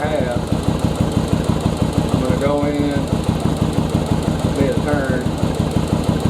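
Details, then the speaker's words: 2nd-gen Yamaha Virago, air/fuel mixture adjustment after carb sync, running on one cylinder with screw at a turn and a half; lumpy idle sags as screw turns in, RPM drop means too lean, back out slightly. "right there you hear the rpm drop down that means i'm starting to get too lean let me back it back up just a little bit and that should be my setting"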